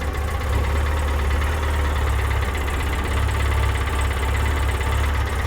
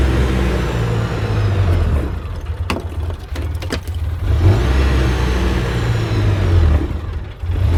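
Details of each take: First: 2006 Polaris Ranger after a rebuild, the high idle now turned down a bit and injector cleaner added: a deep, steady low rumble with an even beat and no misses or knocks; normal idle. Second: 2006 Polaris Ranger after a rebuild: revs stay high and surge instead of dropping to idle; the throttle is hanging, with the cable possibly caught when the seat was refitted and the owner also suspecting the injectors.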